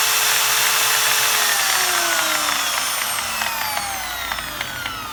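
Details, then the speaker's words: Electric drill that did nothing, after repair with the switch rewired direct, now runs in one direction only; chuck damaged with play; whine slides down as it coasts to a stop, brush chatter at end; normal running. "Como ven, ya funciona en una sola dirección."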